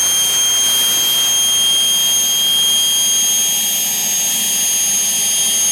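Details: Homemade propane-fueled gas turbine (jet engine) built from a turbocharger, throttle cracked about a quarter, just lit and self-sustaining: steady, even roar with high hiss and fixed whistle, no surging or sputter. Normal running.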